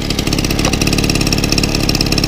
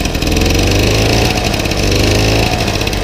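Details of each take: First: 1964 VAP 632 moped, 610 two-stroke engine, started without choke after refit: quick, even putter holding steady; idle set a little fast, clutch slightly dragging the wheel. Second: 1964 VAP 632 moped, 610 two-stroke engine, cold with a little choke, after a few hours' restoration: buzzes steadily and rises cleanly on each throttle blip, no misses; running fine.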